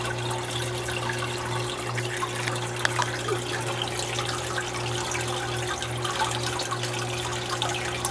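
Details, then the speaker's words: Marineland 350 hang-on-back aquarium filter just restarted after removing a plant growing inside: steady motor hum with faint dry rattle over trickling water, impeller running dry while priming; impeller itself was fine. "It's got to get all wet. They were all dry."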